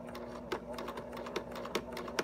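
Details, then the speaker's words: Sewing machine run slowly after mending through many thick layers: soft repeated thud at two to three per second over a light mechanical whir, meaning the needle is slightly bent and needs changing. "okay go ahead and so Cole did you hear that outside that means that that needle is a little bit bent because it was really hard going through lots of layers different places yesterday so that tells me I need to change the needle"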